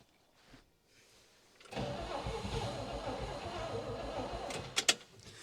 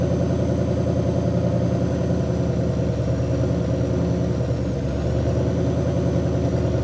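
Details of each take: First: 1960 Pontiac Catalina 389 V8, sat since 1985, carb primed, on stock fuel system: about three seconds of ragged cranking and sputtering that never idles; cranks but won't stay running, owner switching to boat tank and electric pump. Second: 1960 Pontiac Catalina 389 V8 sat since 1985, while adjusting points dwell (target 30°): steady idle settles smoother midway as dwell reaches about 40°, idle quieter and slightly higher, even beat, no misses.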